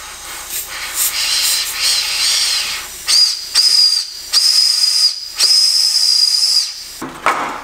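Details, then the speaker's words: Honda del Sol turbo, intake pressurised with compressed air during boost leak test: sharp hiss with a steady high whistle in repeated bursts; big leak at an intake elbow, turbo also leaking oil. "but another thing that I didn't expect was this elbow here as a massively you can hear it a little bit that's a big leak"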